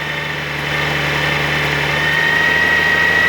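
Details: 2002 Honda Goldwing GL1800 at about 111,000 miles, startup to smooth even idle with steady hum and light constant whine, no knocks or misses; timing chain noise, not the alternator drive gear, unchanged over nearly 20,000 miles of ownership: normal idle.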